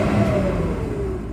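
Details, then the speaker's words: BMW E46 wagon with no muffler and suspected burnt-through test pipes, after running 20 minutes without limp mode: short, smooth rev with even pull and no stumble or hesitation, engine sounds healthy and stays out of limp mode. "I'm gonna start it up and Revit it's gonna be no limit mode it's gonna make me look dumb it's gonna make me look no limp mode fine"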